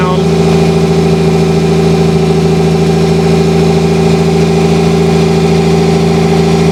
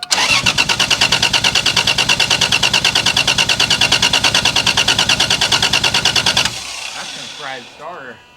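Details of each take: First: 1987 Toyota Supra with 2JZ-GE and T70 turbo, first run after sitting two years; smooth, even idle slightly high, cause unknown, possible vacuum leaks, slight hesitation while stock ECU relearns fuel trims. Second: 1987 Toyota Supra with 2JZ-GE turbo swap, sat 2 years, first start attempt after priming fuel: starter cranks steadily about three beats per second for six seconds with no firing; crank no start, later traced to bad injectors.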